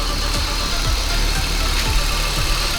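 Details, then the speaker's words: Holden VY Commodore (listed as both 3.8 V6 and 304 V8), about 304,000 on the odometer, just revived after 7 years parked. Deep, steady, even low rumble with no knocks or misses; normal idle. "Oh [ __ ] He runs. It's alive. Wow. What a mission. What a mission."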